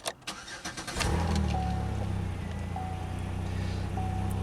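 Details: Used vehicle at 143,047 miles, check engine light on: starter cranks, engine catches into rough idle with quick puffing tick about four per second; possibly an exhaust leak, not confirmed.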